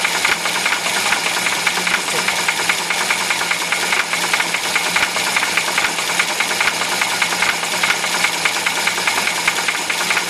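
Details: UZAM-412 engine running: sharp metallic knocking two or three per second; clear internal knock, cause not pinned down.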